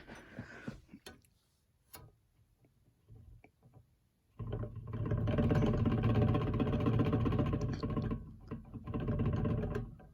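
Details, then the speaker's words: Vornado fan running on low: a low drone with a dry, rhythmic knock about four times a second. Bearing noise, not electrical. "uh that's a bearing noise not electrical i thought it was a buzz that's why i got confused"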